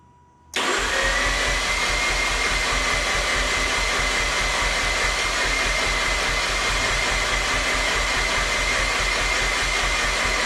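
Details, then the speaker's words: 2007 Mazda RX-8 rotary, sat about two years and quit running, third cranking attempt after fuel-line repair: steady starter cranking with faint whine, never fires. Coolant reserve empty, owner suspects coolant seal; low rotor compression. "Well, it looks like we're a no-go there."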